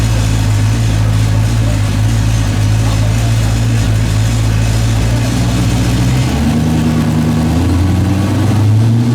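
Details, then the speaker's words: Firebird 6.0 V8 with S484 turbo on pump gas and methanol, full-power dyno pull: strong roar rising cleanly with no stumble. At least two bad cylinders fixed, gaining about 150 horsepower. "so you can hear this immediately cleans up picks up like 150 horsepower well you know we had like at least two bad cylinders that we had found so listen to the difference"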